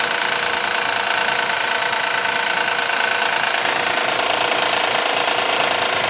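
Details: 2014 Honda Accord V6 at cold start, idling with a steady light rapid knocking about twice a second over the engine note; source not pinned down.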